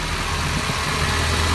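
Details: Nissan KA24DE engine idling after a new ignition switch fixed its starter-click no-start. Steady, even low idle hum with no misses, knocks or clicks; it runs smoothly, though the owner still wants to check one vacuum line.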